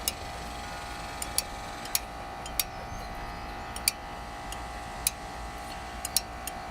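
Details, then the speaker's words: Exmark zero-turn mower engine running and shutting down: sharp, irregular metallic clicks over a steady small-engine hum, caused by loose, cracked-off magnets inside the flywheel; drive belt was fine. "when i powered it off i could hear that clicking noise i was like man what is is there something stuck in there or something you know"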